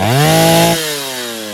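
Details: Stihl 070 two-stroke chainsaw on first start after bottom-end rebuild (new seal, axial play removed; no choke, cover or bar) revs high, then drops back smoothly and settles without stumbling or misfire: normal running.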